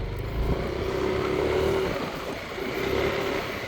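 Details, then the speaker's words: Yamaha Aerox 155 scooter riding: even road and engine rush with no hum or drone, quiet and healthy; earlier drone was traced to the brakes, which owner says just need resurfacing. "Wala na. Ayos. Diyan, kasi dyan. Parang ini ah. Wala nang ingay."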